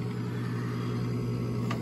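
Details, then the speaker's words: Coleman Presidential DG807BDTA mobile home furnace: inducer motor runs with steady low hum but no pressure switch click; three flashes, combustion air switch failed to close, so pressure switch suspected bad (another tech had blamed the motor). "so three flashes combustion air switch fell to close so pressure switch is probably bad"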